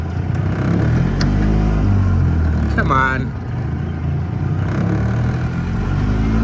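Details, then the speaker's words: Ford Edsel engine started on choke, owner suspects fuel delivery issue: uneven loping run stumbling and surging, four-stroking then rich, no happy medium on choke; engine four-stroking and running rich. "It's four stroking. Then it's rich. There's like no happy medium on this choke."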